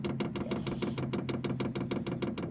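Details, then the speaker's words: Vevor 8 kW diesel heater, new unit at first startup on 12 V supply: quick, steady ticking about six times a second over a low hum as the fuel pump self-primes during the 300-second countdown; normal priming ticking that stops once priming ends. "okay that's what it's doing is it's priming you guys can hear that so you guys can hear the fuel pump that's not overly"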